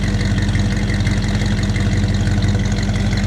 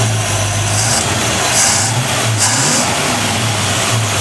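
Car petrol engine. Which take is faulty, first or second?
second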